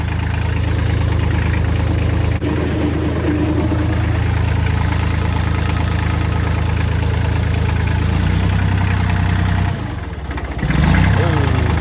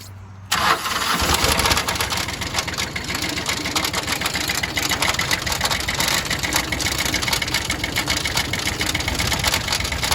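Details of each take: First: Kubota L3000DT tractor diesel, replacement used engine, fuel line bypassing weak lift pump straight from full tank: steady deep clatter at an even beat with a brief dip near end; healthy idle. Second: Kubota L3000DT 4WD loader tractor, original diesel with wet, overfull oil: harsh ragged clatter with uneven beat; severe internal damage, two bent pushrods on cylinder 2 and damaged exhaust port found.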